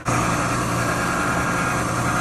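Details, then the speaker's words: Curbside Frigidaire gas dryer after replacing the broken drum belt, drum reassembled: steady even hum with low drone and constant drum rumble, no squeal or thumping; spinning quietly, running normally. "let's see if it starts up yeah spinning good quiet dry yeah looks good"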